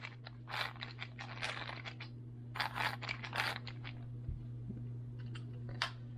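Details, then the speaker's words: Traxxas T-Maxx 2.5 RC truck brakes after reassembly, pads screwed down too tight: irregular scraping rasps over a low hum as the pads drag on the disc like brakes applied. "so if you tighten them down too tight they will actually the brake pads will actually rub on the disc like you are engaging your brakes"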